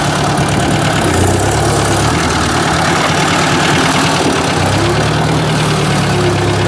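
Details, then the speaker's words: Ford 800 tractor after points clean-up and adjustment, idling: light quick tapping over engine beat, less than before but still present; cause unknown. "so why jeez i can still hear that tapping that's not good i didn't want to hear that it's not nearly as bad but i can definitely hear something"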